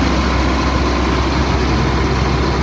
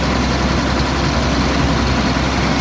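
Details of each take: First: 2004 Blue Bird All American 72-passenger school bus diesel, running about an hour, not overheating, after touching brake drops from fast idle: steady even low rumble at settled speed, no hunting or knocks; normal idle. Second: 2004 Blue Bird All American 72-passenger school bus, automatic, running about an hour without overheating: steady deep drone at an even, elevated speed with no dips; idle drops to normal once the brake is touched; high idle.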